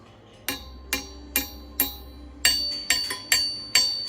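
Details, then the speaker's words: Crankshaft ring test on a Magnum or Callies Compstar crankshaft for a 532ci big-block Chevy build: sharp metal strikes, each leaving a short high ring that fades fast; only slight ring. "that's got a little bit of ring"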